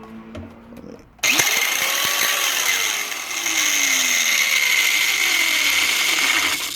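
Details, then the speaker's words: Angle grinder that quit while cutting a car's fender well for a push-rod suspension build: a harsh high whine with wavering, uneven pitch and faint rattling, the sound of broken, stripped gears in the grinder head. "the sound of broken gears. Just bought another angle grinder, and hopefully I will be able to complete the job with this."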